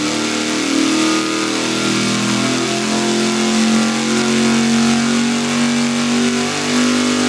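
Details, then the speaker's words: Mechanical fuel pump test on a V8 dyno engine: budget Carter pump rated 40 gph, 7.5–9 psi; steady, strong wide-open-throttle pull while fuel pressure dips immediately, recovers, then drops again as if the float bowl refilled and emptied. "looked like it it dipped immediately and at one point it came up and then dropped again almost as if it had filled the bowl and then the bowl dropped again"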